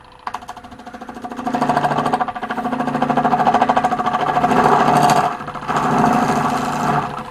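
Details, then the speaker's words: Wood lathe cutting a large, thin oak and cast-resin platter with a radiused negative-rake square finishing tool: rapid, uneven buzzing chatter about three pulses a second under the cut; a little better, but the thin platter flexes and chatters. "it's a little bit better still getting some chatter because of the flex"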